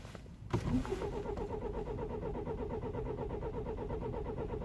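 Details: 2009 BMW E91 320i cold start after 9 hours outside at -12°C: quick even cranking, about eight beats a second, never fires; worsening no-start caused by broken camshaft timing chain tensioner, chain and tensioner replaced.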